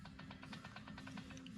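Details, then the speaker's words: Stihl MS 261 C-M chainsaw with noise on starting, starter removed, flywheel turned by hand: quick even metallic ticking about ten per second; flywheel-side bearing has no play, suspected conrod bearing or piston rings. "das liegt anscheinend daran dass entweder das kubelwellen kubelwellenlager nicht das ja plefußlager das pleager oder die kbenringe defekt sind dann kommen so solche Geräusche hier zustande"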